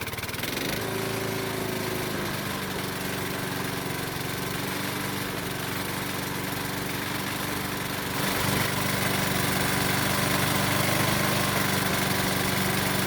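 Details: Used Honda lawnmower restarted with a spare spark plug after the old plug stopped it: steady run with a hard regular knock about four per second, louder as it picks up; known rod knock, engine also burns oil.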